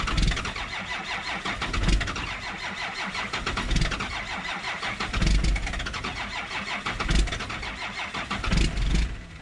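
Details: 1963 Ford F250 with Cummins diesel swap, cold start at 7 degrees with no glow plugs, grid heater or block heater: slow, labored cranking about once every two seconds with uneven chuffs that never catch. Long cranking without starting.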